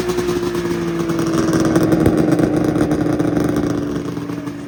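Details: 1999 Arctic Cat ZRT 600 triple two-stroke snowmobile, revived after sitting over 20 years, airbox off: steady idle with an even buzzing note and light clatter, holding speed on its own, no misfire; normal idle.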